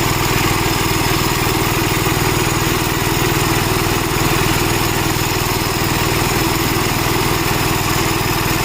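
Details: Gravely Model L tractor with governor, already run earlier, after its blown head gasket was replaced; steady single-cylinder chuff at about four beats a second, even governed speed, no misses. Runs healthy, though an oil leak remains to be found.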